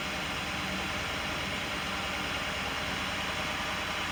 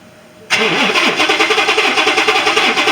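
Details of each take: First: 2018 Ford F150 XLT 5.0 after no-start fixed by replacing fuel pump: starts well, steady even hiss-heavy running with a little gas, no misses, stumbles or knocks; normal idle. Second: 2018 Ford F150 XLT 5.0 with a crank, no start: steady cranking at about three and a half beats a second never catches. Only about 8 V reaches the fuel pump via the control module, and the fuel pump is replaced.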